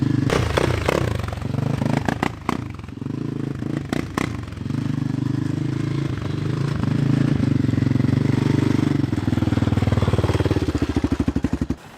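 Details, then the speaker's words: Yamaha Raptor 660 single-cylinder quad, slightly smoky. It stumbles and pops unevenly, then runs ragged with weak blips; the owner suspects jumped cam timing and plans to check the timing and, if needed, split and retime the engine. "the way this sounds it sounds like a timing issue to me it's slightly smoky as well so i need to tear it apart"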